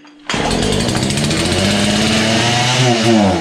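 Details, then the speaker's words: Husqvarna 235 X-Torq chainsaw, stored in a snow bank: owner suspects fuel pickup not working well; after priming, full then half choke it fires after a pause, runs with wandering, surging revs and sags; hard starting, sputtering. "seeing here it's wanting to run try again full choke after primed a few more times half joke"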